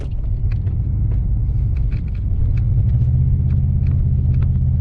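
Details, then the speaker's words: 2005 Pontiac Grand Prix GXP, 5.3 LS4, idling before reflashing the tune, no check-engine light or codes: low rumbling idle, uneven lumpy beat, scattered light ticks, engine very shaky; rough running, cause unclear. "acting very weird so we will tune it and see if it can fix the problem yeah the engine is very shaky"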